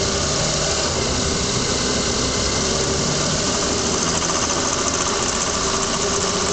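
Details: Lexus ES300 V6 running with a fast, tinny ticking rattle from underneath, loudest when weather and engine are warm, only at low speeds and gone above about 40 km/h; heat shield checked fine, camera zip-tied on washer fluid reservoir, cause undetermined.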